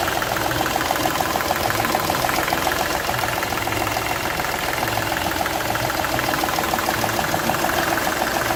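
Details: Seat Ibiza 1.2 TDI diesel idling with a sharp, uneven ticking chuff about three times a second; cylinder one losing compression past its injector seal, which shows a burnt section where gas escaped.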